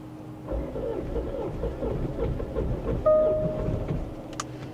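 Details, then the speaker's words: Salvage vehicle at auction on a cold wet day catches with throttle feathering, runs rough with uneven chugging a few seconds, then dies; stalls after starting, owner wonders if a plugged diesel exhaust filter is the cause. "it started n it won't run it tries to start then it just dies there it is there it is is it's running wait it's going to die it it died it does run though it does run"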